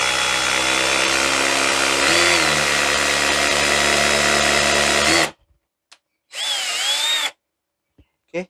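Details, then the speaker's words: Black+Decker BDCHD18K 18V cordless hammer drill in hammer mode drilling: high buzzy motor whine with a fast, even hammering rattle, then short bursts, and the body vibrates. Hammer action working normally. "nanti dengerin bunyinya guys tubuhnya bergetar begitu tadi bunyi under itu tuh bunyi mr-nya guys"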